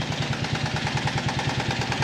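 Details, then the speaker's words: Buggy project engine, warm idle after warm-up with fans running: quick even clack several per second over the exhaust beat, locked to engine speed; engine now runs much better than before but the clacking noise is back, source not yet found. "jetzt läuft auch gut aber ich hö jetzt schon wieder dieses klacken da kommen wir aber gleich zu"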